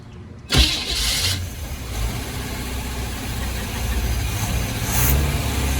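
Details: 1976 Chevrolet G10 van V8, first start after sitting 15-20 years in mud, fed from a temporary fuel tank with fuel now reaching the carb: brief crank, then it catches cleanly and settles into a steady, even idle with no misses or knocks.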